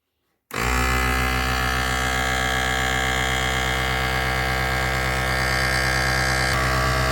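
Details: Task Force 2-gallon air compressor running after brush replacement, pumping up to pressure (about 60 PSI shown, 100 PSI red line); motor snaps on into a steady hum with an even pumping pulse, no sputter or stall; slight electrical smell as the new brushes wear in; running healthy.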